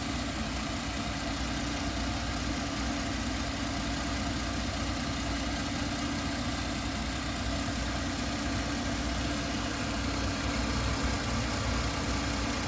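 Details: 1999 GMC Safari 4.3 V6 Vortec at idle with a steady hissing, sucking rush like air being drawn in; poor 11.7 mpg, no codes, carb-cleaner spray changed nothing, no leak found; owner suspects intake or vacuum leak.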